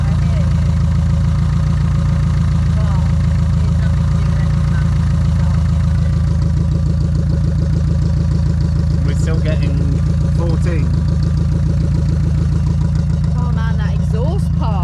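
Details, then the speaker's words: 1976 VW Kombi air-cooled idle, charging 14 volts: fast, fairly even rattle about three per second from welding wire the welder left inside the exhaust pipe, not engine damage. "it's not a terrible engine fault like it sounds it's cuz the the welder got welding wire inside the exhaust and it sounds like that forever and ever"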